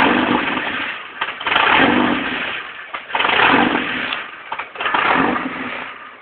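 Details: 1989 Jeep Comanche 2.5L: three long cranking bursts about every 1.5 seconds, churning but never catching cleanly; hard start and poor running, possibly from a bad fuel pump.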